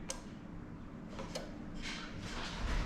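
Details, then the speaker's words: Lexus SC430 3UZ-FE VVT-i V8 swapped into an IS200 with J160 manual gearbox, engine off, AC now controlled by the adapter device rather than the ECU: pressing the AC button gives two crisp relay clicks, a normally working AC clutch relay. "so because the ac system is now running through our device and not through the ecu all you've got to basically do is press the ac button and hopefully you can hear the relay clicking"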